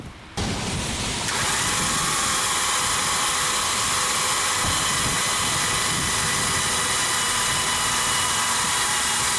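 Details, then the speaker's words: 2010 Volkswagen Routan 4.0L that quit on the highway, cranked on a boost box: starter spins the engine fast and evenly with no compression chuffs and never catches; suspected snapped timing belt. "know how well you can hear that there's no compression sound at all you can see the belt spinning"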